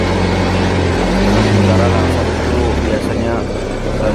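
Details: Yamaha Mio M3 fuel-injected scooter that stalls, lacks power and won't idle, after TPS and butterfly adjustment: loud, low engine note that sags and shifts pitch about every second; idle unstable, cause suspected, not confirmed.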